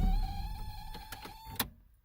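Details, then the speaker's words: Original key-reminder buzzer in a Toyota MR2 AW11, heard when starting the car: a steady, raspy buzz at one pitch for about a second and a half, then cuts off. Rough, tired-sounding buzzer. "when you start the car up you hear that beep well in the mr2 that sounds like crap"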